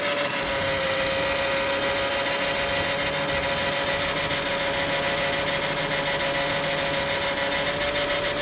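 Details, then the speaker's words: Engine idling with a loose, uneven ticking-knock and steady mid-pitch hum after sitting unstarted a while; decided it is the water pump bearing, but the fault persisted after replacing water pump and alternator. "decided That is the water pump bearing making that noise."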